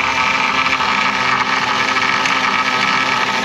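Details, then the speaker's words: 2007 Chevrolet Monte Carlo SS 5.3 V8 at idle, warming up after power steering rack and hoses replaced: steady even idle, smooth hum, no misfires, belt not squealing, power steering quiet. "engine sounds good there's no misfires occurring the belt is not sawing a hole through anything and we have no leaks"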